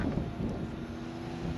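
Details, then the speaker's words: Newport NK180 transom motor on a 2019 Hobie Outback, on 24V lithium (two 12.8V in series), drawing 31 watts: a steady low electric hum with a slight whine, with wind in the background. Running smoothly. "if I turn it on, if I bring the motor forward, you can hear the motor running."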